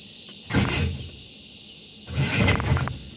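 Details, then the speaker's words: Truck starter attempt, a fault recurring over several days on nearly every start: two short growling whirs each cutting off under a second with no firing; not a dying battery, owner says the starter is going bad, drive only grazing the flexplate. "You hear that? The starter goes to turn and then stops, you know, B and every time. And you hear that grinding."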